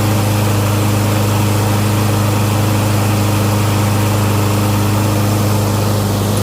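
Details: Curb-find Lawn Boy mower, first start after storage, cleaned and fresh gas added: strong, even single-cylinder putter at steady speed, no misses or knocks; sounds cleaner, normal running.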